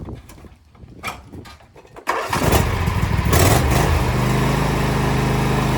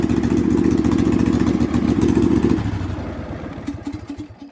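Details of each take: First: Husqvarna LGTH 24V54 lawn tractor after muffler re-welded and skid plate straightened: a few starter sounds, then fires and settles into a steady, even twin-cylinder idle with a smooth, tight exhaust note; normal running. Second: Husqvarna LGTH 24V54 lawn tractor with muffler broken off and cracked, before welding repair: loud, raspy, uneven exhaust bark from the small single running fast, far harsher than stock; exhaust leak from the broken muffler.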